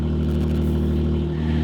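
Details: Nissan 370Z with long-tube headers and test pipes, first start after winter storage, clutch in, neutral: steady even low drone with no stumbles or misses; caught at once, smooth healthy idle.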